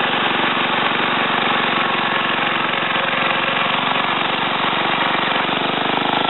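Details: Ariens TA20A Trans-a-matic tiller after engine rebuild and plate clutch repair, carburetor untouched, started in about three pulls: small single-cylinder holds a steady, even buzzing beat with no stumbles or knocks while tilling wooded ground; normal running.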